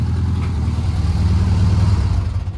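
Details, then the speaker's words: Hydraulic Marathon VW Beetle after fixing non-start (distributor 180 degrees out), rewired and tuned: low, even burble at idle with no misses or knocks, tailpipes a little loud; runs smoothly. "Take a listen, and I think it's running sweet as a nut."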